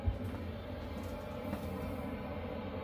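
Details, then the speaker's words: Chinese diesel heater in a tent trailer on a cold day, starting around 1.3°C, 10 minutes after start-up with the fan wide open and full temperature bars: steady, even roar with no surging or rattles; normal full output. "you can see that it's uh full bars on the temperature that it's pumping out right now this is the fan going wide open"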